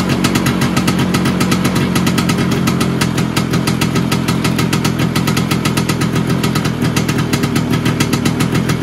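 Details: Vespa PX 125 with 177 kit, restored engine (new bearings, seals, piston, rings, lapped cylinder), 2.5% premix, first start after a year: crisp even two-stroke popping at steady fast idle, no knocks or rattles; owner says idle needs adjusting; normal idle.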